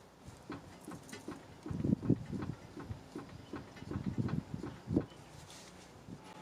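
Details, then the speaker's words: 2004 Honda Pilot, steering rack temporarily bolted back in with the outer tie rod attached, driver's side wiggled by hand; irregular dull knocks, loose clunk — bad driver's side inner tie rod, passenger side quiet. "But it would appear that our inner tie rod on the driver's side is bad."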